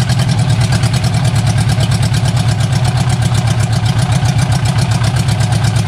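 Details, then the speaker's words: Barn-find Austin-Healey Sprite, fuel from a jug, hot-wired ignition, no exhaust fitted, only the manifold: fast, even, loud blatting idle with deep low pulses; runs steadily but raw and open. "actually it sounds not too bad it does not have any exhaust on it right now it just has just the exhaust manifold so probably the next thing i should do is put an exhaust on underneath the car"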